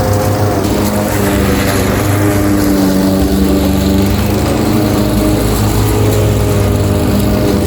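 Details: Craftsman 21-inch mower with 5.5 hp Honda GCV160, bought as a reported non-starter with a dry tank, cutting grass at level-two height: a strong, even drone holding pitch with no surging, misfires or knocking. Runs healthy; technically nothing was wrong.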